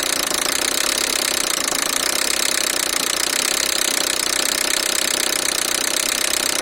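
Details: 2002 Peugeot 307SW 1.6 16V TU5JP4 engine knock: fast, sharp metallic hammering. Timing belt, 31,000 km and over 5 years old, jumped two crankshaft teeth; valves touched pistons, nothing bent; water pump leaking, possibly the cause. Fixed with Gates timing kit and pump.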